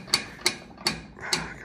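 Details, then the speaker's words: Chevy C10 pickup, in neutral with parking brake released during rear brake adjustment, rear wheel turned: sharp ratcheting clacks about two and a half per second, limited-slip differential clutches grabbing and slipping; the diff's weird noise persists. "So flick that over, chuck that into neutral, parking brake is released, and still doing its weird diff"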